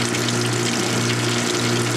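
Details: Whirlpool direct-drive washer in service since about 1993–1995, heavily worn, suspected broken motor coupler: steady low electric hum with water rushing through, even and unbroken, during spray rinse; the drain pump still runs normally and moves water out.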